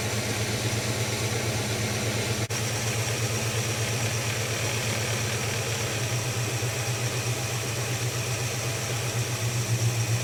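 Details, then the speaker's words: Holden HK engine at steady low idle, running better than the day before but still not smooth; rhythmic stumble breaks the even beat, a miss at idle; owner unsure of cause, plans vacuum gauge check. "so she's running better than it was yesterday still not smooth though"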